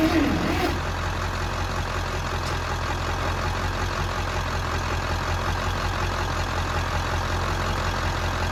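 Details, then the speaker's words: Bantam truck crane that sat in a quarry for years, on jumper cables from a truck: heavy, low, uneven cranking that seems close to firing but never catches despite choke, throttle and carb cleaner; cranks but won't start. "So freaking close to lighting off. You can hear, but it just doesn't want to go no matter what I do with the choke, throttle, carb cleaner, hand choking it. No matter what, it's just not happy."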